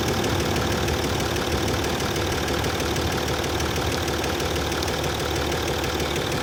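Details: Land Rover Discovery 3 2.7 TDV6 diesel, hot engine at idle: dense, uneven clatter of knocks, roughly three per second, over the engine drone; hot-engine knock, cause unknown.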